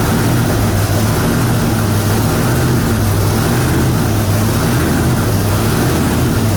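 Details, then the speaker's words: Supercharged big-block Chevy with fuel injection, before a hub dyno session: loud, lumpy low rumble at idle with an uneven beat, running with eight of its injectors not working; cause unresolved. "so bad news we can't get the other eight injectors working"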